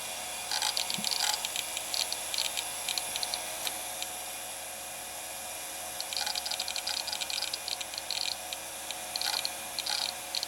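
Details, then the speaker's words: Repaired Quantum Daytona SCSI hard drive in a Macintosh LC, booting after long use with cover off: steady high spin whine with bursts of rapid seek chatter; running and seeking flawlessly. "it works flawlessly now i also don't know how it's still working fallacy after spending so much time with the cover off but it is and it boots"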